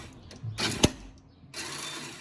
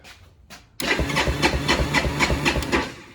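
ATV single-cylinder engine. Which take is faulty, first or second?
first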